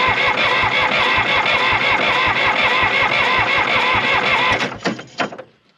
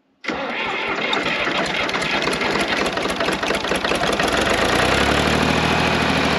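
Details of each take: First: Old John Deere 350B crawler dozer diesel, injector lines cracked while cranking: steady cranking, never catches; no fuel spurts from the injectors, so no fuel is reaching them. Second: John Deere 350B crawler dozer diesel after the injector lines were cracked and fuel was confirmed reaching the injectors. It cranks briefly, catches at once and settles into a steady, even clatter that smooths as the revs drop: a normal start.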